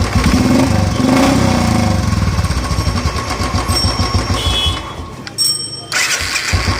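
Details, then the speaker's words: Royal Enfield single after fixing self-starter noise: brief crank, catches and settles into even thumping idle with no starter grinding or knocking noise; repaired and healthy. "देखो एकदम गाड़ी ओके है, कोई साउंड नहीं है इसके अंदर। ये गाड़ी कंप्लीट है हमारी।"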